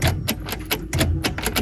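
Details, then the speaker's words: Vehicle with dash indicators lit won't start: dry rapid clicking, about four or five a second, engine never cranks; suspected ignition switch, starter solenoid or damaged wiring harness, emergency workaround is tapping the starter motor directly; cause unconfirmed. "Hindi siya tumutuloy. So kapag ganyan, maaaring may problema sa susian nyo, sa solenoid ng starter o sa electrical wiring harness."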